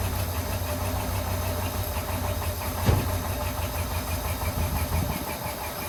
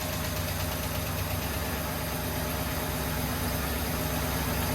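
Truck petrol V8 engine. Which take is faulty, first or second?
first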